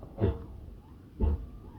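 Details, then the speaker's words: Tesla Model 3 Performance at a standstill: two low, rough groaning creaks about a second apart from the front brakes as the wheel is turned while pressing and releasing the brake, as when parking; gone when creeping forward. Fixed by Service Mode brake burnishing. "Mira, si piso y suelto el freno, ¿cuándo hago esto? Mira, mira, mira. Es horroroso. Mira, puro ruido. Pero es solo cuando está quieto."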